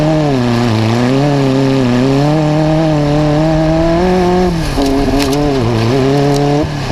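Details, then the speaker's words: V8 Magnum super buggy race car in its third session after a float adjustment: the engine note sags and breaks up coming off the bottom near the floor; a leaking fuel line was found and tightened, possibly the cause. "all right so kev pulled off super quick in that last session there because we found out when we got it back up there that we have we had a fuel line leaking"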